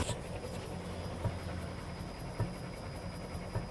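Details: Toyota RAV4 rear suspension on a Ruidcar shaker: dull knocks about once a second while the car is shaken. Rear suspension rattle.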